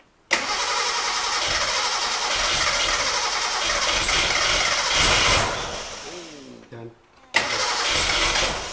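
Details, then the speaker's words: Gilbern Invader Mk3 barn find after removing the pump's glass bowl and priming: steady starter cranking with no firing, because the fuel pipe wasn't in the fuel. Cranks but won't start, no fuel supply. "oh yes silly bloody idiot the pipe wasn't even in the right try frog right let's try putting it on fuel this time"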